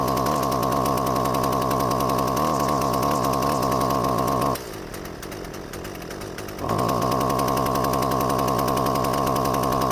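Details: Husqvarna 128CD two-stroke trimmer started cold with an empty carburetor: buzzing at high speed, cuts out for two seconds, then picks back up; abnormal, uneven running.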